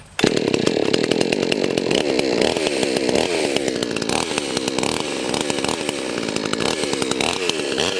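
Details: Chainsaw restarted after a hard-start fix (fuel drained, started on choke, refuelled): strong, steady high-pitched buzz while cutting, pulling evenly without bogging or stalling; running normally.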